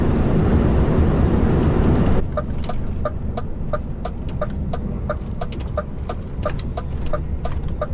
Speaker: this trailer does not have a tendency to lean on the tires you can hear him squealing all the time